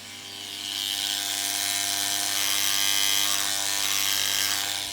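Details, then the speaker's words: Antenna rotator unused for over 10 years, badly corroded bolts, just powered up: steady buzzing electric hum with rough whirr swelling and fading at constant pitch; motor strains trying to turn but does not rotate. "See, I'm trying to turn it one way. If I try the other way, you can hear it trying,"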